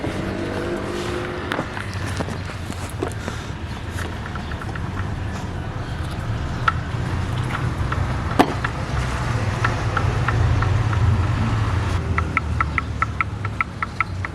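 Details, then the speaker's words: Idling engine with hollow, uneven knock about two to three a second: piston slap from worn pistons and cylinders; planned fix is replacing piston rings, possibly bearings. "هاي احنا ما نريدها تكون موجوده سامعين بالماكينه الساطره او البستان"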